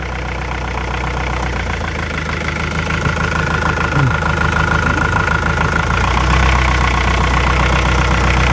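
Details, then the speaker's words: Brand-new marine diesel at idle, injector loosened on one cylinder, then the cylinder next to it: RPM sags noticeably each time and smooths out when retightened. Both cylinders are firing properly. "tells me that that cylinder is firing now let's say I wanted to compare cylinders I'll do the cylinder right next to it and see if the change in sound is the same it's very very similar that tells me that both of those cylinders are doing a great job"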